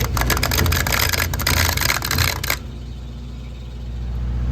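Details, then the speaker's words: Electro Freeze soft-serve machine on a new food truck, 3-phase, phasing correct: in clean mode one barrel gives a rapid clunking clatter around three per second for about 2.5 seconds before reaching rotation, then stops. Suspected chattering contactor 8M, not confirmed. "When I put it on clean, that clunk clunk until it hits its rotations. Wait. Whoa, that's no. That could be a contactor chattering."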